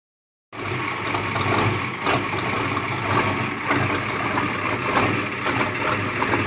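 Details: International 6.9 diesel in a Scout after a glow plug replacement and starter cleaning: diesel clatter at idle with uneven beats and a slight stumble, plus constant smoke. Owner doubts clogged filters and suspects a fault after the injection pump; cause not found.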